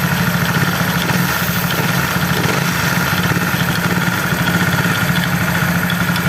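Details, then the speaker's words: Honda CB150R LED single-cylinder idle after the loose valve shims were fixed with a Sonic 150R shim. The top end now runs quiet, but a fast, light clatter low in the engine remains from the starter gear, not yet repaired. "ya di bagian atasnya sudah halus ini tinggal betulkan di Start aja yang bunyi kletek-kletek di bawah"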